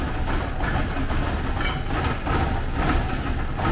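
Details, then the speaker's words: 1979 Porsche 924, first run after sitting, just after adding fuel: low uneven idle that wavers and stumbles, no knocks or ticks; running rough. "we'll just see what happens if i put some fuel in it not running very well but it is running"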